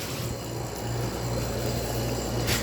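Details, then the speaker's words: Older 1970s–80s Oasis refrigerated drinking fountain, R12 refrigerant, just plugged in: steady low hum with a soft even whir, no knocking or rattle; compressor nice and quiet, not very loud, running smoothly as remembered. "Compressor's nice and quiet. Just how I remember this thing. This thing always had ice cold water in it. It's not very loud either."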